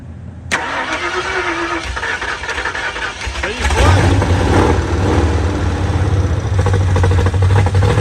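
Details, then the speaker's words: 1968 Mustang Ford engine just fitted with Duraspark electronic ignition, fired on gas poured in the carburetor; cranks, catches and settles into a loping, choppy idle about four beats a second, from the cam, not a misfire. "you for the miss it sounds pretty we just need to get some gas hooked up to it now it ain't got no Miss that's that cam"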